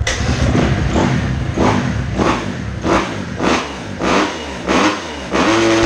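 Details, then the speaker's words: 2010 Kawasaki KX250F after the fault was fixed: crisp, even throttle blips every second and a half or so, rising and falling cleanly with no misfire or rattle; healthy, ready to test on track. "Bon, bah voilà, impec, il n'y a plus qu'à voir ce que ça donne sur le terrain."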